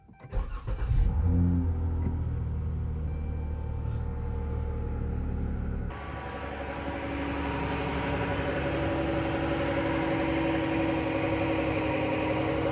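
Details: 2012 Chrysler 300C 3.6L V6 started after oil cooler replacement and injector connectors reclipped: short crank, quick catch and flare, then a smooth, even idle with no knocks or ticks. A healthy start.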